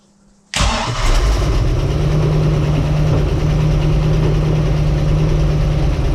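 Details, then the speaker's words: Bayliner boat with Mercruiser Alpha One Gen 1 sterndrive, on starting: heavy uneven idle with dull low knocking, later large bangs that vibrate the boat; owner suspects vacuum-related cutting out, possibly loose metal inside; source unknown. "So it's just something, it turns on the key, but then if you listen closely you'll hear the knocking noise. I think it's cutting out because of the vacuum."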